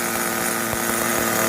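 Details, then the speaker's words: New VX18 nitro engine in an RC car, second tank of break-in: high buzzy note running uneven and slightly ragged because the new engine is still tight, smoother than the first tank; normal break-in roughness. "Sebab enjin baru memang dia ketat lagi. Bunyi pun kita dengar tu tak smooth kan."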